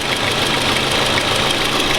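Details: Toyota Camry 2AZ-FE petrol engine at idle: fast, light metallic knocking from a worn timing chain, alongside hesitation and vibration. The chain is being replaced; the owner suspects the VVT-i valve as the root cause.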